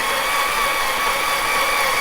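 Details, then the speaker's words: Vauxhall C20XE red top engine build on the dyno with a jump pack attached, cranking to prime oil: even, steady whirring with no knocks or grinding; it cranks normally, giving 35 psi oil pressure at about 10 rpm, with one fitting leaking. "Okay, we've got the jump pack on, so hopefully we'll get a few more laps out of"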